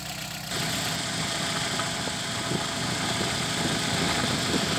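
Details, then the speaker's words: VW G1 with carburetted AP engine: uneven, hunting idle with slight stumbles; pump fuel pressure practically zero, starving the engine, which had stalled repeatedly on the drive to the shop. "Y esta es la presión de combustible que tiene su bomba prácticamente nada cero por eso lo que en el camino que él tomó desde su casa hasta acá se le paraba a cada rato"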